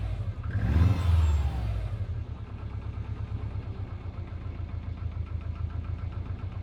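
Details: Subaru Impreza WRX GC8, EJ20G turbo: quick rev blip, then idle with a steady fast knock, about three to four per second, under the exhaust note; driven a year, prior owner two years; told forged pistons knock, owner suspects connecting rod.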